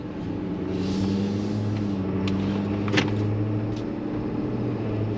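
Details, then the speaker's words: 2015 Ford 6.7L Powerstroke diesel (CP4 pump) driving after gas was mistakenly put in the diesel tank: steady, smooth low drone with good power, some suspected pre-ignition from remaining gas, fuel pressure normal. "Truck sounds good. Has good power."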